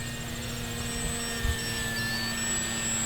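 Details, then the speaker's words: Origin Hobby Wilga-2000 electric RC plane in flight just after takeoff on a freshly charged battery: high, evenly spaced low-voltage alarm beeps over the steady propeller drone; the alarm threshold is likely set incorrectly. "so you guys hear the beeping uh that is a low voltage indicator I have in the plane it may be set incorrectly"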